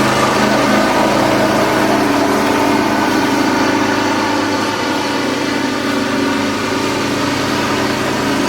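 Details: John Deere X540 mower after replacing the two failed ignition coils that caused no spark; smooth, even twin running at steady speed with no misses, knocks or rattles.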